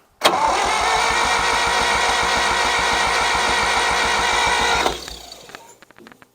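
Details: 1963-64 John Deere 1010W tractor, sat 18 years, starter cranks steadily about four turns a second for five seconds, never catches; fuel starvation, owner suspects clogged fuel line and stuck carburetor float or valve, splicing in fuel filter.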